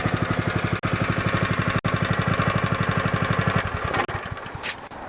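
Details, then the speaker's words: Honda GX160 5.5 hp engine from a pressure washer, run outdoors with the jammed Comet LWD-K 3020 pump removed: quick, crisp, even single-cylinder putter with no misfires or clatter; engine runs really well. "well that's awesome that motor runs really really good"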